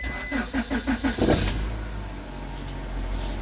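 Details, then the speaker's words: 2002 Honda Accord 2.3 that had died and wouldn't restart, traced to a faulty switch that activates when touched: several even cranking strokes, then it catches within a second and settles to a steady, smooth idle. "ok ahí está y ahora si le doy marcha enciende"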